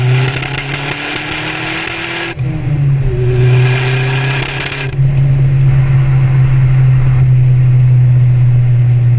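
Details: Vauxhall VX220 Turbo accelerating through the range in 3rd into 4th: uneven, stumbling note, a misfire under boost that developed after recent work.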